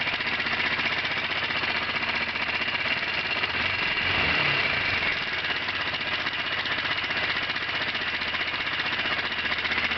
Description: bruit moteur 125 cbr qui claque ,, biele ? soupape ?... , ? on entend bien un bruit " métallique " .